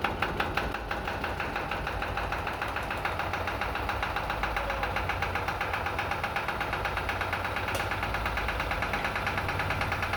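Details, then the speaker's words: Lister emergency diesel engine (fire pump/air compressor) on a ship, first start after fuel bleeding, before warm-up and unloaded: steady, even diesel clatter at settled idle, no misses or knocks; normal healthy idle. "so just like the main engines a great success and a great great feeling to have that engine fire up"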